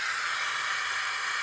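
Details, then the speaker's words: Car CD radio that had gone silent, now connected to a good replacement speaker: even, steady hiss with no crackle. The radio output works, and the fault was the original speaker's wire broken inside. "Tá vendo? Coloquei o fone bom, ele voltou a dar vida. Ó, só aumentar a altura que for."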